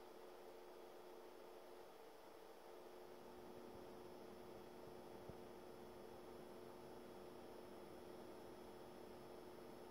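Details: Brand-new Fengmi 4K: steady low electrical hum under soft fan hiss with constant thin high-pitched coil whine, very noticeable with no video or music playing.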